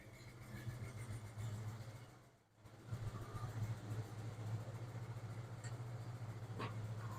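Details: 1996 Ford F-150, recorded at exhaust with light throttle from under hood: lumpy uneven rumble, no smoke; poor compression test, one cylinder suspected dead with no compression.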